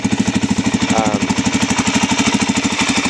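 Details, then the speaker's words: Suzuki DRZ400 after engine swap and wiring cleanup (headlight and kill switch fixed): even single-cylinder thumping at a steady fast idle with no misses, rattles or hunting; engine running healthy. "so I got all that straight so it seems to be uh running pretty good"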